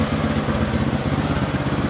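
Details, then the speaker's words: Motorcycle that lost all ignition spark when hot, after replacing the stator coil (spool) and giving a weak spark: steady, even single-cylinder idle putter with no misses; running normally, still to be checked when hot; pulser also suspected. "Oke lur, setelah kita ganti spool tadi ya, dan motor sudah nyala seperti ini keadaannya."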